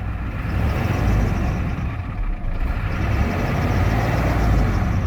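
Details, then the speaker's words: 1993 Ford F350 ramp truck, 7.3L V8 turbo diesel, 5-speed manual, 175k original miles: steady, even diesel clatter at idle with low rumble, no knocks or misses; strong running, healthy engine. "So again, 175 on the miles. Really, really strong running."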